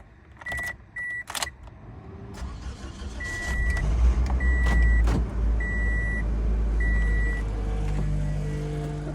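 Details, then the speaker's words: Toyota Matrix cold start after a broken, rattling exhaust pipe was repaired; muffler has small holes and a seam that may be starting to come apart: cranks, catches quickly, steady even idle without rattle, slightly loud muffler; fuel-smelling smoke, possibly running rich. "sounds like a real car. Yeah, it's a tiny bit loud from the muffler, but I'm so pleased with it."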